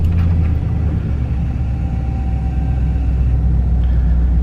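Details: 1999–2007 Chevy Silverado LS V8 (4.8/5.3/6.0L) after the oil pressure sending unit was removed, cleaned, Teflon-taped and refitted over a low-oil-pressure chime: steady, even low rumble, no knock or tick; starts and idles normally, no low-pressure warning.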